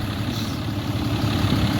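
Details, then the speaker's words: 2012 Ram 3500 6.7 Cummins diesel at idle after replacing a water pump with a loose, rough pulley and a broken belt, about two gallons of coolant refilled: steady low clatter, even and unbroken, no squeal or knock, no leaks, running cool. "all right everything is running nice and cool checked it out didn't have any leaks"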